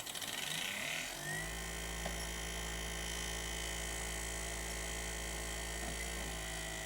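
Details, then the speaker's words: Sony BDP-S380 Blu-ray player after Schottky diode replacement in the power supply, disc loaded: drive spins up within a second, then a steady buzzy hum with faint whine; playback works but sounds unhealthy, cause unknown. "It just doesn't sound very healthy, does it?"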